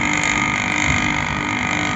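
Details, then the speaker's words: An AC compressor started directly with its current being measured gives a steady, even hum with no knocks or rattles while drawing about 6 amps, so the compressor is judged good and running normally. "लगभग 6 ampere कितना ले रहा है पा पॉ something ले रहा है यानी ये कसर सही है"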